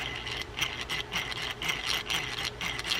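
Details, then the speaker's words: Used Daiwa ultralight spinning reel from a flea market, handle turned with clicker off: scratchy rasp about twice a second with each turn, noisy inside; cause unconfirmed, possibly a bearing. "it's a noisemaker in there I'm not sure what's going on"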